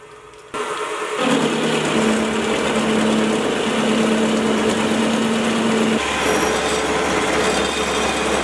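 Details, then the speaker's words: Mini mill after a stiffening plate was mounted to the back of the column, taking a heavy cut (almost 3 mm width): steady motor tone, even cutting hiss, no chatter, much quieter with less vibration. "now I'm doing the same Cuts as before and the difference is just astounding the biggest difference is just how much quieter the mill is the vibrations have been cut down and I can push the mule a lot further than I could before"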